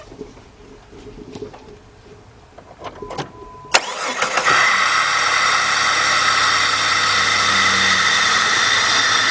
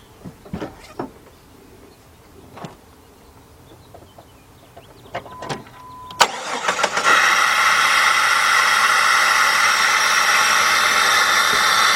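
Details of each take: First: 2002 Jeep Grand Cherokee Laredo 4.0 after spark plug replacement for P0302 cylinder 2 misfire, air cleaner off: cranks, catches, settles into steady even idle with loud hissing intake rush. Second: 2002 Jeep Grand Cherokee Laredo 4.0 with code P0302 cylinder 2 misfire, after new spark plugs, air cleaner off: engine catches near six seconds into a rough, stumbling idle over loud intake hiss; misfire remains, coil pack to be replaced next.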